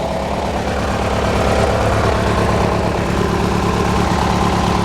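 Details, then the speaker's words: Hechinger by MTD garden tractor, just after clutch/declutch work and frame reinforcement, warming up after starting. Twin putters at a steady low idle with a slightly uneven beat and no mechanical knocking. Smokes a little; rough idle. "does smoke a little bit"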